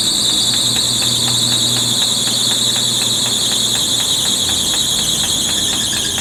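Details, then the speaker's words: 1980 Chevy C10 square body pickup, long-abandoned, running on carburetor fuel while the float is tapped: a loud, piercing, steady squeal from its single drive belt rides over a rough-running engine. Serpentine/V-belt squeal. "one of these belts is well i guess there is only one belt and it's really unhappy"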